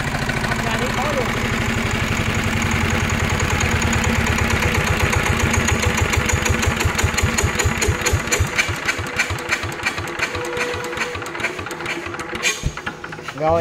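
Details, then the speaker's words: Single-cylinder NF 19 engine: strong, even thumping, then slows at shutdown with a faint hissing on each stroke; owner judges slight compression leakage. "Nhưng mà theo góc độ của em nhìn xét á là nó còn hơi đổ hơi nhẹ nha anh em hơi đủ hơi nhẹ anh em nghe khi mà mình tắt nó nghe tiếng giống như nó xẹt xẹt xẹt xẹt"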